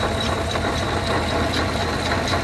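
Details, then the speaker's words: 2020 Chevrolet Tahoe V8, about 100,000 miles, knocking noticed after an oil change, plenty of oil: idles with a light regular knock about four times a second from the water pump, which needs replacing. "see that water pump pulley it's the water pump making the noise car's got plenty of oil in it this one just needs a water pump"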